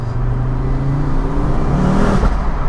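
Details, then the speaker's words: Ford Focus RS accelerating through a tunnel after the catalytic converter was fixed: strong smooth pull with a steadily climbing engine note. It feels strong and punchy and the problem is solved. "bloody hell man that sounds good that sounds amazing yes i'm a happy boy this car is feeling strong punchy"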